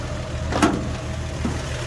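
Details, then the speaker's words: 1948 Chevy Fleetline 2-door sedan at idle, with a new battery, cleaned carburetor, replaced fuel pump, old cloudy fuel and no exhaust smoke: a low, steady, smooth idle with no misses or knocks, a typical healthy "sewing machine" sound. "Engine sounds good. Typical sewing machine sound."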